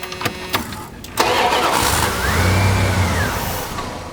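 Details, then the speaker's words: 1990 Dodge Ramcharger, non-running: cranks, catches and flares briefly, then sags and dies within about 2 seconds; fuel pressure builds excessively due to clogged fuel return, overwhelming the injectors. ASD relay and distributor pickup ruled out. "it starts up for a few seconds and the pressure becomes so great after about 2 seconds that the computer controlling the injectors the injectors are so overwhelmed they can't even open and close and do their job"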